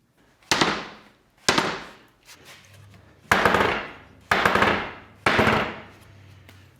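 Five hammer taps about a second apart, each ringing out bright and fading slowly; the steel tire sits tight on the wheel.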